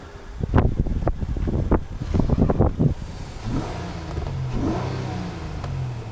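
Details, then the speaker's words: Honda Accord that was misfiring after another garage's tune-up, a worn-out spark plug found: quick throttle blips then a steady, even idle with no missed beats; misfire gone, check engine light no longer flashing. "Let's see if our misfire's gone. Hey. No miss. No moss."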